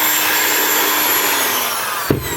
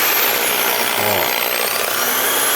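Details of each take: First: Skil electric drill after repair of a wire preventing the housing from closing and loose screws: a smooth, even high-pitched motor whine, then a click as it eases off; it works perfectly and the noise is gone. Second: Original Skil electric drill running in reverse with rough, hissy, wavering whine instead of clean hum; cord stopped the housing closing and screws not gripping; rough running from misassembled housing.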